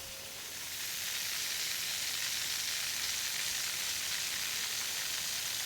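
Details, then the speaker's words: Steady high-pitched hiss with faint rapid flutter from a pressurised drip irrigation line; another leak is heard nearby, and the owner suspects another pipe has snapped off. "I'm hearing another leak somewhere I can hear it it's in here somewhere and I'll bet you another one is snapped off"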